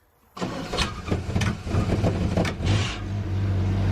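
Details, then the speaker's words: Upright AB62RT boom lift, sitting unused over a year, after fuel and wiring work: quick uneven cranking about two seconds, then it catches and settles into a steady, even idle; normal engine start. "that sounds alright kind of funny now let's see if the functioning navel works because it has to rev up and not die when we get it to do stuff"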